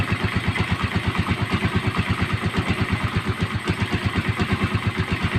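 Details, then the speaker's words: Motorstar Star X125 converted to 150cc, after new timing gear and PAG cam follower fitted to fix noisy engine: steady, even putt-putt idle with regular low pulses, no top-end ticking or clatter; runs clean. "And then maingay nga yung makina at ngayon ay napalitan na natin ng cam follower. So nauna nating kinabitan ng timing gear, tapos gumamit tayo ng cam follower ng pag."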